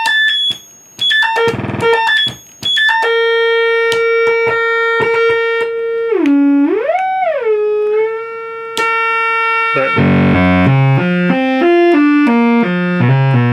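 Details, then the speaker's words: 1974 Minimoog synthesizer, only the 440 Hz reference oscillator working properly, oscillator 2 faulty, oscillator 1 dead, oscillator 3 running at 76 kHz, envelope faulty: thin tones sliding and wobbling in pitch, notes won't hold tune. "so basically you can hear it does not sound right at all tuning wise or anything else"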